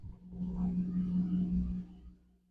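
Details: Clothes washer powered by a battery power station, drawing around 85 W and 1.4 A: a low droning howl from the drum that swells during the spin, then winds down and fades. Normal spin.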